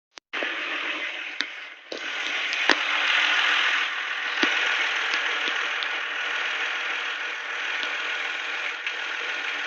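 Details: Nissan VQ25DE engine idling: light, fairly regular ticking over a hissy, high-pitched run; owner thinks it comes from the IACV (idle air control valve) but isn't sure.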